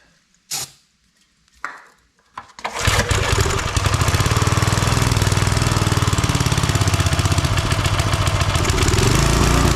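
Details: Old Briggs 5 hp single-cylinder engine on a homemade wood splitter with a Montgomery Ward ram. After a couple of pulls it catches and holds a steady thump, but only with the choke closed. Owner suspects the carburetor needs cleaning.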